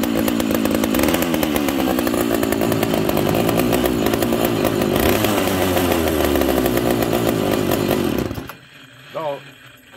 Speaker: this saw has no idle screw on it so it doesn't idle very well it needs some love friends